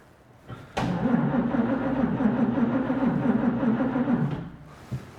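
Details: 1941 Chevy on rebuilt Carter W-1 carburetor, cold garage, battery had been dead and charged; starter grinds sluggishly at three to four labored turns per second without catching: slow cranking, battery likely low.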